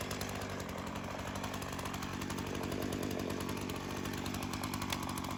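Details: Craftsman chainsaw that sat for years, rerun days later after cool-down: quiet, fast, even idle with no surging or stalling. Carb acting more natural; tip test shows no head gasket or crank seal leak; chain doesn't move at idle.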